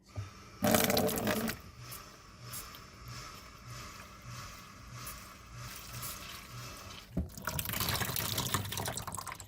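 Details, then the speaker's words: Drummond 1 hp shallow well pump with pressure loss: fast staccato chattering, about three pulses a second, over running water as the pump cycles on and off constantly with one faucet open. Short cycling because the pressure tank has lost its air charge. "You hear that staccato ch- ch- ch- ch- That is the water pump cycling on and off constantly."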